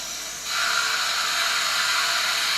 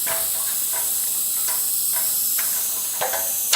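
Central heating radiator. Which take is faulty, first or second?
second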